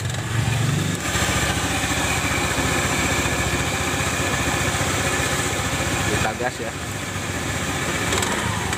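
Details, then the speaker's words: Honda automatic scooter (Beat/Spacy/Scoopy/Vario type), CVT under a year old, rough noise from rear CVT at idle and throttle: after grinding the worn shaft end smooth and greasing, steady drone with faint rattle remaining, less harsh than before. "suaranya masih ada suara kasarnya cuman Enggak seperti tadi ya awal sebelum kita grinda asnya ini agak halusan"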